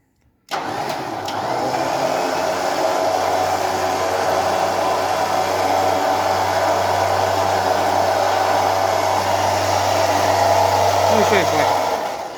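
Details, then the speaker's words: Winch on a 2017 UAZ Patriot, tested with a wireless remote after being brought back to life: smooth, steady electric hum holding constant pitch for over ten seconds, now working properly. "совсем другое дело работает о чудо но с лебедка и закончили"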